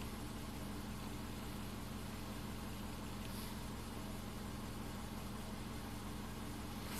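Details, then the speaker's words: 2005 Subaru Forester 2.5 L manual, warm idle during high-idle diagnosis: quiet, steady low hum at 650 RPM, fuel trims perfect, no hunting or surging; normal idle. "Fuel trims are perfect. We're at 650 RPM. Nice idle."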